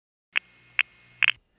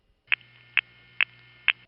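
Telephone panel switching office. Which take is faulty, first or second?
first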